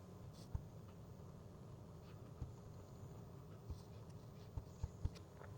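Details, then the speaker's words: DIY CNC axis moved in 10-micron steps, checked with dial indicator: in near silence, short dull clonks on direction reversal instead of a small zip; backlash, something suspected loose, cause not yet found. "It kind of sounds like there was almost a bit of a clonk, uh if you know what I mean, instead of just a small uh zip uh sound. So, this tells me that something does kind of is loose somewhere and uh is changing um"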